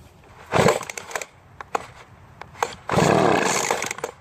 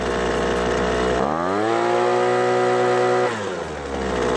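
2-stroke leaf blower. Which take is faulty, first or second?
first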